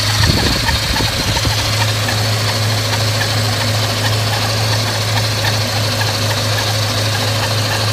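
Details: Scion FR-S with Kraftwerks supercharger at idle: steady low drone with a loud droning hum that doesn't settle; blower noise louder than it should be.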